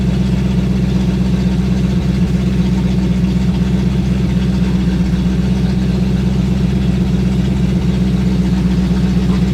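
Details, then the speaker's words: Sixties Ford Galaxie with a small-block V8 (289, possibly a 302), carbureted, after revival: steady, even low burble sitting a touch fast and never settling; slightly high idle, suspected timing too advanced, carburetor to be checked. "I want to back the timing down with it. >> That might be why it's pretty fast idling, too."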